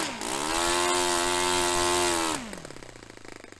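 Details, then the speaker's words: Restored Saito FA-45 Special model on test stand, 10% nitro fuel, low-speed needle richened; on the fuel-line pinch test the high buzzing idle sags and dies within seconds, still lean; lean idle, engine dies on pinch test. "Similar sort of dying in just under 4 seconds, I think. Pinching the hose on the lower speed, so I'm going to dial it up a little bit further."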